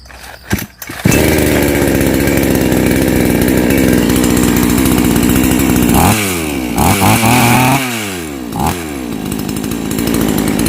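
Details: Chainsaw that died when hot from a weak ignition coil, refitted with an older used coil: pull start, then a strong steady buzz with crisp clean blips up and back down; it runs healthy with a good spark.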